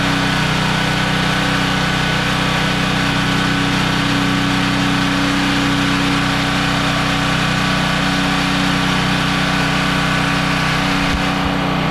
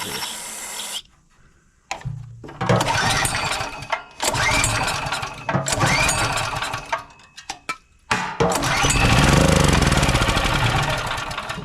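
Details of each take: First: Generac GP3250 portable generator, unused for years, after ultrasonic carburetor cleaning and reassembly: steady, even engine drone with no misses or surging; runs normally, though the fuel petcock leaks and needs replacing. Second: Generac GP3250 generator unused for a couple of years with a dry tank: the engine catches in short ragged bursts only on starting spray or carb cleaner in the intake, then dies each time, so the carburetor is not supplying fuel.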